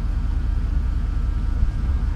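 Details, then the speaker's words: 1987 Grumman ice cream truck, first start, will-it-run: heavy low rumble with rough, choppy pounding through the idle, sounding like a jackhammer; big-time engine knock, cause unclear. "Oh dick Oh big-time knock what's that about buddy"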